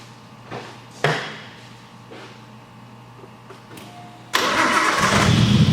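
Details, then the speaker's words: RB20DET-swapped Nissan 240SX S13 getting a big-turbo upgrade, after new lifters replaced bad ones and the cams and timing belt were refitted, with a new vented catch can: a few clicks, then it catches into a steady, smooth idle with no ticking or knocking. Normal idle. "alrighty boys so as you can tell she is running very good"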